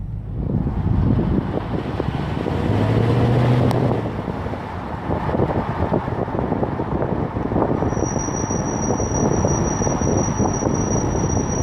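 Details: Car with under 10,000 miles: thin steady high-pitched brake squeal rising over road rumble while braking, holding until the car slows.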